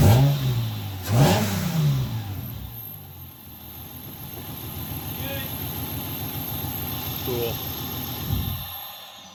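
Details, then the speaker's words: 2006 Hyundai Tiburon 2.7 V6 five-speed, misfiring after engine wash: after blowing water out of the rear three plug wells and adding dielectric grease, it catches quickly, blips once and idles smoothly. "so basically water in the plugs what a easy fix"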